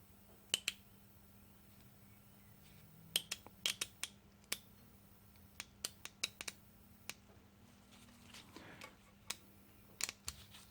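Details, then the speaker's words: Honda Odyssey automatic transmission (lost drive in one gear) with its shift solenoid valves bench-tested on a power supply. Crisp, sharp clicks each time power is tapped on, though the green-wire solenoid sounds less powerful: solenoid clicking normally. "we go so we can hear it operating and we'll try the green wire which is this this one here it's even see it on there look how long doesn't sound quite as powerful of it"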